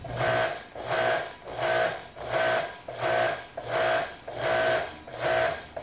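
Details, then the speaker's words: Kärcher electric pressure washer, 10–20 years old, previously making intermittent motor noise when fully pressurized, now worse after failed repair; no water from nozzle, not sealing; motor hums in regular surges about every 0.7 s, cycling by itself, won't shut off with off button. "this thing is doing something all by itself i think if i hit the off if i hit the off button it doesn't shut off"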